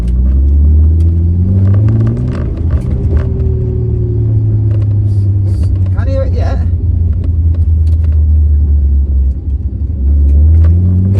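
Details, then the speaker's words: R33 Nissan Skyline daily driver on a road test after cable-tying a vibrating, rattling part: steady low exhaust drone, engine pulling evenly, no buzz or rattle underneath; normal running, though the gear knob still rattles. "that's all I want to hear is exhaust and engine noises and little not wywy noises"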